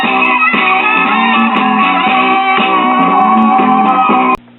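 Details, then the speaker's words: Repaired 1950s ShuraTone child's record player with stereo wiring harness, left and right channels tied together for mono: music plays clean and loud with steady pitch, no hum or distortion, more volume than average; working normally. "Well, there it is. It doesn't sound too bad. More volume than the average 1T record player with a low output cartridge."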